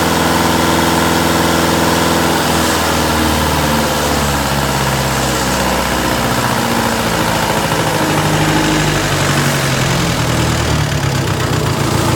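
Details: Diesel engine at idle, behaving strangely: the beat stumbles and wavers instead of holding steady. Owner suspects a misfiring cylinder; this rough idle is not confirmed.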